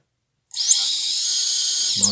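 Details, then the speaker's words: Micro quadcopter brushless motor after replacing upper and lower bearings, props off, below half throttle: smooth high-pitched whir ramps up, holds an even tone and spins down cleanly with no rasp or wobble; healthy bearings. "pretty good oh that sounds so much better than this"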